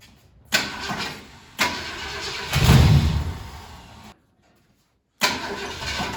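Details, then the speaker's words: 1968 Ford Galaxie 500 with 390 V8, unregistered and sitting at least 13 years: cranking catches in short bursts, runs roughly about a second then dies each time despite fuel; suspected wiring/spark issue, unconfirmed. "okay so you can kind of hear how it wants to start and uh just just run for just a second and we've got plenty of fuel in it"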